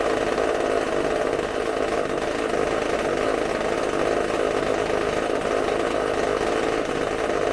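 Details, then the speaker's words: McCulloch supercharged chainsaw on a bench test running off tank fuel: steady high-pitched two-stroke buzz at constant full revs, clean and even with no stumbles, using fuel very quickly; normal strong running. "All that fuel that fast. That sounds fantastic. Woo! You're gonna hear me a lot of wooing and stuff because I'm shaking, but that runs fantastic."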